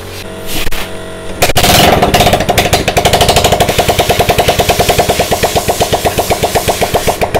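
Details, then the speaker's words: Yamaha Lagenda motorcycle after restoring ignition spark (previously no spark, wouldn't start), running with exhaust removed: cranks, catches and settles into a loud open-pipe idle with steady, evenly spaced pops; no misfire, firing normally. "Kalau dengar bunyi enjin dia dalam keadaan dia tak ada exhaust, bunyi motor ni senyap."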